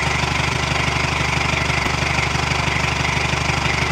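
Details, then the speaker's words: Old military truck diesel: loud idle with steady throb about twice a second and lumpy beat, sounds like an old Detroit; rough running, owners suspect it needs an injector. "Sounds like it needs an injector. Man, it even sounds like an old Detroit."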